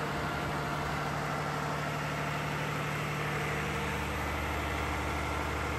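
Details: Air-cooled Lister diesel generator set, 109.5 HP, about 100 kVA farm backup, on its monthly check start; loud, steady, even diesel beat with deep rumble, no knocks or misses, running healthy.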